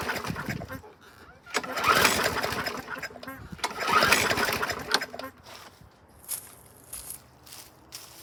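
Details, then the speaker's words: Mower, low on fuel, primed with the primer now pushing fuel: a couple of short sputtering bursts catch briefly and die; starts then stalls. Water contamination in the tank or pickup bowl is suspected, and the filter is dry-rotted. "kicked off there for a second let's juice it you may have a little uh water contamination in the tank or the water gets in the pickup bowl there in the top of the gas tank"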